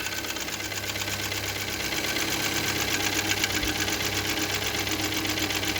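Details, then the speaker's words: VW 1.4 TSI CHPA engine at idle: fast light ticking about four per second from the top of the engine, swelling then easing; oil level normal, valve cover off shows nothing loose, hydraulic lifters suspected, source unconfirmed. "Сразу слышно, как идет стук. Не знаю, откуда он идет, но откуда-то прямо вот отсюда сверху."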